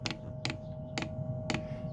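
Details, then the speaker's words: New 5-8 kW diesel heater, first test run, heater at 9 degrees: crisp regular ticks about twice a second from the fuel dosing pump over a faint fan hum; normal pump ticking. "We can hear the pump round there doing its thing, should I say round there,"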